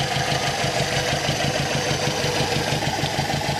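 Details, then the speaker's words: Brazilian Chevette with Solex carburetor, cold, just after cleaning carb and adjusting idle screw: idle pulses a bit unevenly but keeps running without stalling; mildly shaky cold idle, timing later found way off. "the engine's still cold so it's a little shaky but it's not dying"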